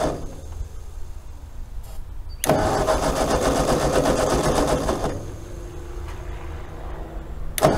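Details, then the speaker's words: Ford 8N tractor that had been sitting, with fresh gas and a shot of starting fluid. The starter grinds steadily for a few seconds but the engine never catches or pops; no spark is suspected, with the distributor points to be checked. "stuff lay must not be getting any Spark"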